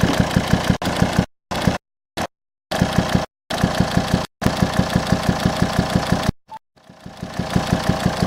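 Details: 2007 Volvo XC90 D5 diesel at idle, steady popping about three per second through the intake pipe to the turbo; owner suspects faulty swirl flaps or stuck or broken intake valve, not yet found.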